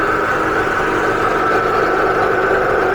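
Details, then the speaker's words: Husky Pro belt-driven air compressor, bought new 2007, repaired after a hard failure and 3–4 years sitting, belt guard off, building pressure toward 120 psi under load: even, steady motor and pump hum, no knocks or squeal; motor running cool, stiff old belt will limber up. "Motor's running nice and cool. That old belt is stiff. That's why it's doing this. It'll limber up."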